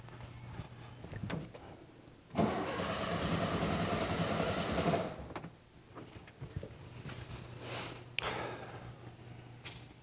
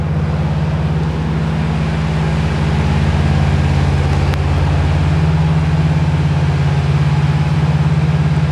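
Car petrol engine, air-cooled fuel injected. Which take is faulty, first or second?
first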